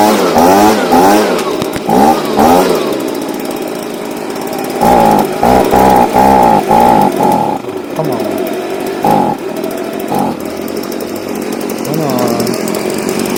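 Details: Stihl BG55 two-stroke leaf blower, formerly no-start, on new C1Q-S68G carburetor replacing a torn-diaphragm carb, during carb adjustment: revs crisply in short bursts and drops back cleanly without bogging or dying; runs healthy.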